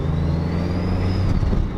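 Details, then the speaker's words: Turbocharged Miata with an EFR turbo and twin-disc clutch, about 130 wheel horsepower with the intercooler not yet hooked up, first drive in 16 months at low rpm. A thin whistle climbs steadily over the engine drone: normal turbo spool. "can you hear the efr can you hear the turbo spooling"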